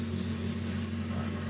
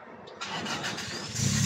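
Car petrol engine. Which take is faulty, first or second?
second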